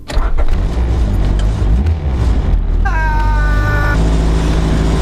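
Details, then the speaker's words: Honda EG Civic at idle with new Hasport engine mounts using very hard red urethane bushings: heavy low rumble with the body drumming and shaking as vibration passes into the chassis; to be replaced with factory bushings. "yeah i don't know if you can hear me but yeah everything is shaking here this car is going to rattle itself two bits if i leave these in here as they are"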